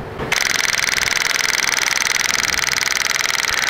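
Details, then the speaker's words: Honda Magna motorcycle with cheap Chinese electric fuel pump, engine off after parking: rapid even ticking buzz, about 2.5 beats a second, pump keeps running; owner suspects pump's sensor is dead. "shouldn't be pumping this much after I park that means there's a problem"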